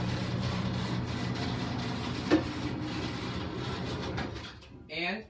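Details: Platform lift installed in 1989 in a private residence in Niagara Falls, Ontario, with a hold-to-run toggle switch, running normally: a steady low motor hum with a faint rasping rub and one knock, then it stops. Interesting but noisy.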